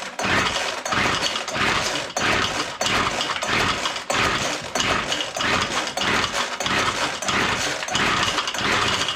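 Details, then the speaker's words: Weed Eater Featherlite two-stroke string trimmer found full of water with no spark, now sparking, pull-starting: rapid pull bursts with brief sharp pops, about ninety pulls a minute, never keeps running. "well that sounded like it wanted to go didn't it"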